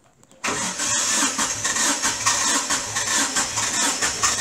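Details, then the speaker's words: Great Wall Hover H3 with blown head gasket, antifreeze in cylinder 4 and oil system, strong burnt-coolant smell: engine catches and settles into an uneven, lumpy run with a hissy top end. "то есть по прокладка пробила антихрист попал еще и в машина система давай"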